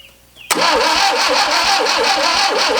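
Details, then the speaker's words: Barn-find 1971 Fiat 850 Spider four-cylinder, first start in about 30 years: number one spark plug missing and timing adjusted, well out; runs with an uneven, lumpy chuff, misfiring from the missing cylinder with timing off. "I've gone ahead and mess with the timing a little bit here I still can't get this number one spark plug in for now"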